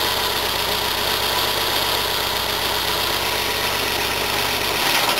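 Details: Old Volvo with AFI fuel injection, manual: catches quickly and settles into steady even idle with loud fuel pump hiss; sounds like compression on all cylinders, normal start.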